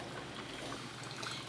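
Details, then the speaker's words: Madine filter coffee maker, first use, heating water in reservoir: soft bubbling trickle with gentle hiss, steady and even; this little noise while heating water is normal. "faz um barulhinho quando está aquecendo a água certo pra é esse barulho é normal gente"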